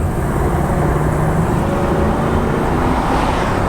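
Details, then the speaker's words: 2005 Lexus LS430 V8, 200,000 miles, accelerating again on the road: smooth rising engine hum with steady road noise, no jerking, stumbles or surging; normal V8 acceleration. "It just, I mean, it accelerates so smooth. You know, it's not like jumping out there or any kind of jerking going on."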